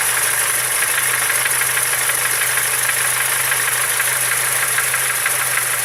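Idling engine with a quick, fairly regular tapping knock, about three per second, riding over the hiss; source not pinned down.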